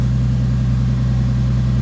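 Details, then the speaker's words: Toyota 2JZ engine converted from ITBs back to turbo, running on corn fuel (E85) before a dyno session: deep, smooth, even idle with steady low drone, no knocks, misses or rattles; now sounds like a real car, normal healthy idle. "The car is back to sounding like a real car. It's I went from hating this car to loving this car."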